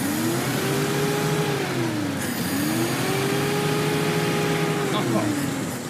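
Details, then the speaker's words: Classic Pontiac that sat about 30 years, after solvent treatment for sticky rings and a suspect number-three cylinder: two smooth rev sweeps, pulling evenly with no miss or knock. It did not overheat; slight smoke remains, with the number-three cylinder suspected. "Runs like a Swiss watch. And I ain't kidding you. Well, that's a pretty good sign."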